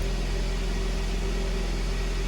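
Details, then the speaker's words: First-generation pre-facelift Kia Ceed, first cold start after repair for a jumped timing chain and bent valves: steady, even low hum at idle with no knocks or rattles; the engine runs smoothly and quietly. "все хорошо работает тихо никаких посторонних шумов стуков ничего нету мотор работает ровно"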